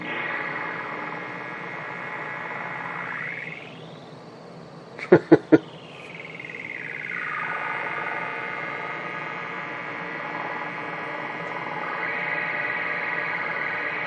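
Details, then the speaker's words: Old CRT television chassis (Brian) on the bench with long-unpowered capacitors: at power-up a humming whistle swoops down and back up with three sharp pops; abnormal speaker noise, cause not confirmed. "hang on we're gonna power this up again because it just sounds so cool when it powers up not though it's not supposed to sound like that when we're done it won't"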